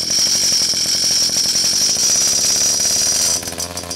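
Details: Pocket bike two-stroke just started after carburetor replacement: revs high with a buzzy, sharp exhaust note, then drops back and keeps running evenly; engine running fine.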